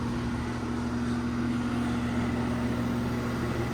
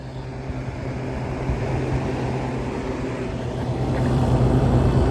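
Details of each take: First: 2016 central air conditioner at spring startup: a steady rough hum with a wavering mid-pitched drone over the fan, no clean spin. Condenser fan motor is in very sorry shape and may be replaced. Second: Window air conditioner on cool, first start since November, slow to come up to speed. Steady low hum with an even airflow rush that builds smoothly as it settles; running normally.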